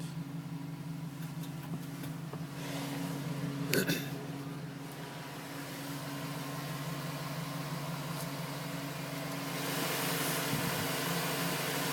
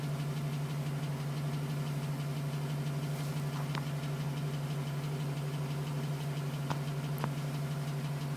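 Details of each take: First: 2010 GMC Sierra V8 with 2,000 miles, warm idle after cold-start tapping stopped at 5 minutes 42 seconds as temperature rose: steady low hum with no tapping, how it should sound; owner had questioned piston slap. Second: 2010 GMC Sierra with 2000 miles, cold idle. Light, fairly regular tapping, about three per second, over the engine hum; owner suspects piston slap. It was still tapping at 4 minutes and stopped at 5:42 once warm.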